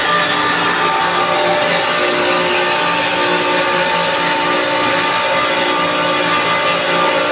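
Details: Chiller compressor checked for abnormal sound: steady hum with a thin high whine and hissy rasp on top; cause unclear.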